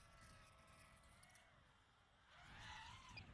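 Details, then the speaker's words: iFlight Nazgul Evoque F5 V2 FPV drone in flight: motors buzz unevenly with a harsh high screech rising near the end, flying badly; a propeller was found not tightened properly, to be tightened with a socket. "yeah I'm bringing that back there's definitely something wrong with it it's definitely not flying good at all that sounds terrible"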